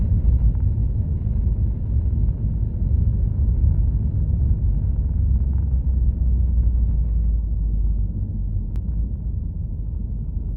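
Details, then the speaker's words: Un-restored 1937 Plymouth Business Coupe after clutch chatter fix (flywheel trued, no wobble, parallel and concentric): low, steady engine rumble pulling away with no shudder or judder; smooth clutch engagement, though new throwout bearing reportedly noisy. "So let's test it out, and I'll show you how smooth it is."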